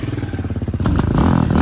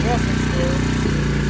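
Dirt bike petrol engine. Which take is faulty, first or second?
second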